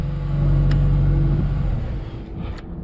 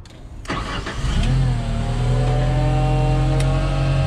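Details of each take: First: Genie S60 boom lift after crank-no-start repair: catches and settles into a steady, even low rumble about four beats a second, fuel pump buzzing, oil pressure good, no misses or knocks; healthy. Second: Genie S60 boom lift after crank-no-start repair, first start-up: cranks, catches and runs about three seconds with an unsteady, lumpy beat, then shuts off; rough running, cause not confirmed.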